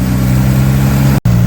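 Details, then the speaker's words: 1964 Chevy II Nova straight six, sat about a year, just fired after pumping the gas; low, even hum with a steady beat and no misses, knocks or ticks; runs super smooth, normal healthy idle. "can't believe how good it runs. It's super smooth."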